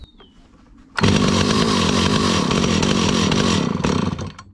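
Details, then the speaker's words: 43-year-old Stihl 028 Wood Boss chainsaw after carburetor cleaning and mixture adjustment: fires and revs hard about three seconds with an uneven note, then sags and dies; won't hold idle, so idle speed is being turned up. "so I'm turning up the idle speed to try to keep it"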